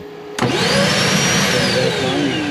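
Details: Columbus 386FK RV central vacuum system, hose hooked up at the outdoor port; motor kicks on abruptly and settles into a smooth, high steady whir with even airflow rush; normal running.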